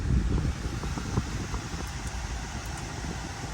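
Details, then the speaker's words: 2012 Audi Q5 cabin blower after replacing the blower motor and resistor, AC on and blowing cold: a steady, even rush of air with no squeal, rattle or scraping. Normal blower operation. "You can hear the AC. Nice and cold. So right now we're gonna try something else."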